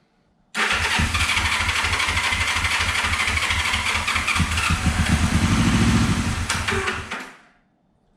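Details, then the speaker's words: 1974 Honda CB450 twin, sat for a couple of years, fires in a fast popping run for several seconds on fuel sprayed down the carbs, then dies; this confirms spark before the carbs are pulled and cleaned. "spray a little bit of fuel down the carbs and we are going to see if this thing gives us a few pops and bangs if it does then we know that we're getting spark and everything's good"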